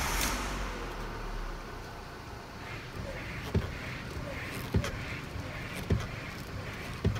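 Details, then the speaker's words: Lancia Musa steering: sharp single knocks about every second, felt up at the steering wheel, as the wheel is turned back and forth. Cause is a dry steering column universal joint, fixed by loosening its bolts with a 12 mm socket and greasing it. "quindi partiamo così parla intanto mi faccio sentire il rumore e poi dopo vediamo di smontare e risolvere"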